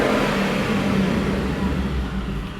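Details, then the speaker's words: 2017 Shelby F-150, 750HP supercharged 5.0 Coyote V8, warmed up, after new full stainless dual 3.5-inch megaphone exhaust with up-and-over pipes: deep, smooth rumble easing off the rev with no rasp or crackle; the earlier brap is gone, a normal exhaust note. "Got rid of a lot of that brap that we were dealing with early on in the system."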